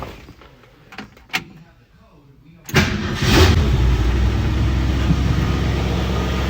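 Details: 1967 Mercury Cougar V8, roughly 85,000 miles, sitting in a barn for 15 years, first start: near silence, then it catches at once and settles into a steady, even idle with no misfires; healthy start.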